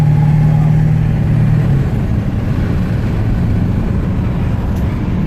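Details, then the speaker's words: 1997 Ford F-250 Super Duty 7.3 L turbo diesel under way after new synthetic diff, engine oil, transmission, transfer case and coolant fluids; deep even rumble with road noise, no knocks or misses; owner finds it much smoother. "So smooth now. Wow. It is. Everything's a lot smoother."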